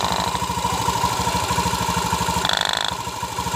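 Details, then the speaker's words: Honda Beat FI scooter with rough engine noise and oil seepage, traced to a worn, loose seal; pressing the seal makes the rough sound stop; steady, even idle of about three beats a second, no harsh knocking, smooth running. "motor halus Bro kalau ditekan ini ini sealnya oblak Bro jadi suaranya Tuh kasarnya itu dari se nya saja Bro"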